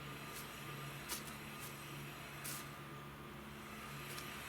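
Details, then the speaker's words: Ford F150 after front brake pads were tapped down to fit snugly: steady low rumble as the truck rolls, no clicks or clunks where it previously went click clunk. Brakes no longer knock or judder. "I'll tell you now that would have gone click clunk click click click click"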